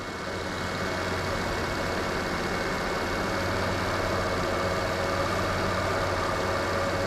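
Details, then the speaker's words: 2017 Nissan Altima idling during an A/C recharge. After refrigerant is bumped in a couple of times, the compressor audibly engages with a faint constant hum over a steady idle. The system was low on refrigerant and is still taking charge. "So I bumped it a couple times, and then audibly now the compressor is running. Like I can hear it. So it was a little low, but not much"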